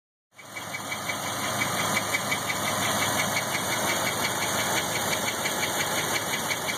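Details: 1997 LT1 V8, 172,000 miles, warm idle: light rhythmic belt-like tick-and-whir about three beats a second, louder as it warms, from driver-side rear head area; oil pressure drops 40 to 20 psi warm; exhaust gaskets and plugs already changed; cause unknown.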